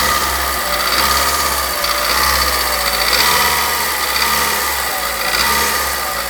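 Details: VW Voyage G5 EA111 after timing belt, plug leads, plugs, coolant and a head repair from corroded coolant passages: busy rattly top-end ticking that rises and falls when revved; cause unknown, lifters possible but unconfirmed.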